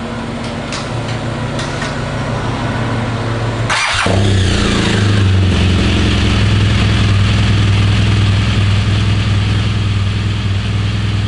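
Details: 2016 BMW R1200RS at its 60,000-mile standard scope service, during the engine suppression test: engine catches about four seconds in and settles into a smooth, steady low idle, even beat, no knocks or ticks.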